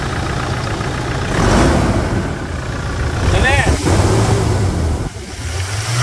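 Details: 2020 Toyota Hilux single-cab diesel, hard-used, with fresh oil after a suspension, brake and steering box/pump service: fires up and revs cleanly, steady low rumble rising and falling evenly with throttle, no knocks or odd noises; normal start and rev.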